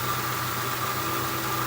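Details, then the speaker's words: 1966 Ford Mustang convertible V8 hot idle about 10 minutes after test drive, no drips underneath: steady even smooth low hum, no misses or knocks; normal hot idle. "so we just kind of got back from the test drive let the car idle not a drop under it it's an idle about 10 minutes after the"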